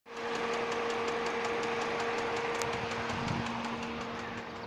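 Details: 2008 Hyundai Sonata petrol engine idling, hood open, code P0011: steady hum with regular light ticking a few per second; source not pinned down; engine ticking at idle.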